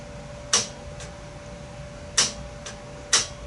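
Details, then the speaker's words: Clearpath brushless servo motor on a mill auto-tuning its constants, turning the shaft sharply a little at a time; sharp clicks, three loud and a couple fainter, over a faint hum as it hits the limits of drive backlash, normal. "the backlash in the uh system uh when it hits the limits of the backlash you you see it uh you hear it make a click"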